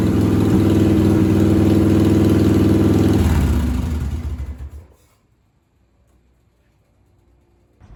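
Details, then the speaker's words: 1997 Harley-Davidson Heritage Softail Classic, 80 ci Evo V-twin, just fitted with an S&S Super E carburetor: a fast, very regular beat of about four pulses a second, well above normal idle; high idle from the idle screw set about half a turn too high. "As you can see, I got a very high idle, so I have to adjust it."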